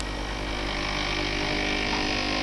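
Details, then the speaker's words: DeLonghi pump espresso machine: the pump runs with a steady buzzy hum but no water flows, not even reaching the boiler; an air lock or a clogged diffuser or portafilter screen is suspected. "помпа гудит, но вода не поступает."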